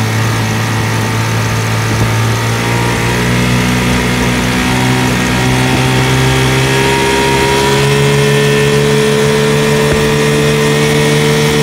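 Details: 1980 Sea King (Chrysler) 15 hp two-stroke outboard, slow acceleration test: top cylinder misfires with uneven stumbling beat at quarter throttle, recovers mid to full throttle; condensers replaced, coil swap showed a faulty ignition coil.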